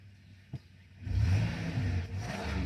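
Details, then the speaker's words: 2006 Dodge Grand Caravan 3.8 V6 after replacing the ignition coil pack: engine catches and settles into a smooth, even idle with a steady low hum, no stumble or misfire; normal running. "Now I'll fire it up. I kind of confused it there. Look at that. Smooth as glass."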